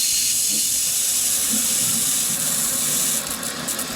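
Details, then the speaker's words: Rain Bird irrigation system at spring startup, main valve opened gradually until higher pressure sealed an earlier leak: steady, even rush and hiss of water with no spitting or sputtering. Flow sounds normal. "right that sounds a little bit better all right so you see the pressure is higher so this is sealed up"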